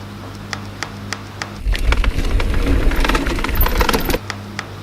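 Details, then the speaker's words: NS Snabb trail mountain bike: light regular ticking, then loose metallic clattering as the Shimano SLX rear derailleur jockey wheel cage strikes the back of the chainstay. The fix is turning the 2 mm B-screw clockwise to push the derailleur away. "so what I'm pointing to there is the top of the jockey wheel cage and that right there is obviously the back of the chainstay so that's what's happening"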